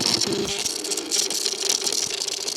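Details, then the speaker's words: 2011 Suzuki SFV650 Gladius on a jump pack, key on, engine silent: fast tinny buzzing rattle comes and goes, only with a connector plugged in; unplugged, no noise and no start. Rattle at key-on; tip sensor suspected. "That is the sound that it makes. And now it stopped making the sound but plugged in."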